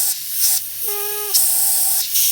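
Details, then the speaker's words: New wastegate bench-tested with air into the bottom port. Constant high hiss of air escaping from the top cap, with a brief whistle when the port is blocked, and the valve drops back: leak between the two sides of the wastegate diaphragm. "well that's telling me is that there's a leak between the diaphragm the bottom and the top of the diaphragm"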